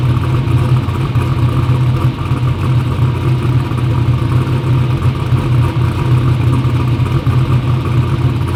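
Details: "Black Sheep" V8 race car runs a loud, steady burble with even firing rhythm and no misses or knocks; front and rear seal oil leaks still pending.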